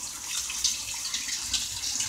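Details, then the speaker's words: Whirlpool washer with all-lights-on fault, in diagnostic test mode: hot water inlet valve actuated for about 10 seconds, steady hiss of water rushing into tub, no chatter or buzz; hot valve fills normally. "now we got the hot water valve is actuated so ask about 10 seconds to let that run"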